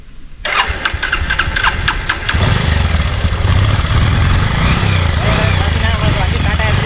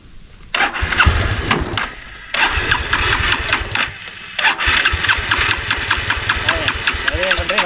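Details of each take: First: Petrol motorcycle converted experimentally to run on gas only, no petrol: a few quick starter clicks, then engine catches and settles into steady, even idle on gas with no misfire; normal start and idle on LPG. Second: Petrol motorcycle being converted to run on gas: the self-starter whirs in short, even bursts but the engine never fires. It cranks without fuel because both the petrol and gas supplies are shut off.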